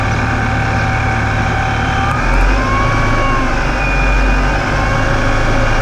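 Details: Ripp supercharger: loud thin whine over the idle, at low idle and crawling at low speeds, only when the vehicle is in gear; owner suspects a bad supercharger bearing, not confirmed.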